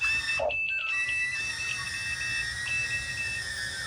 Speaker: You can hear that beeping is letting me know that the battery is dead.